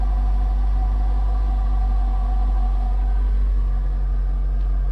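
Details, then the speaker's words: 2006 Ford Focus ZX4 SES, rebuilt after being totalled, fires right up and idles normally: low steady even hum with no knocks or misses, no issues at all. "Fires right up, no issues at all."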